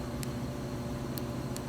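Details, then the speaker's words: eBay exhaust cutout valve actuator, ignition on, about a week after install: three faint sharp irregular clicks over low engine hum, motor not moving and valve not opening; bad wiring connections, before replacing connector. "oh you can't hear it clicking but nothing's happening motor's not moving valve's not opening bad times"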